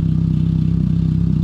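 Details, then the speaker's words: 2002 Pontiac Sunfire 2.2L overhead-valve engine with the cheapest Amazon muffler, before replacement with a MagnaFlow: loud, buzzy, harsh raspy exhaust with a fast even pulse at idle, an annoying tone. Loud raspy muffler exhaust. "pretty much expect you're gonna hear this car before you see it like about three minutes in advance if you have this kind of muffler"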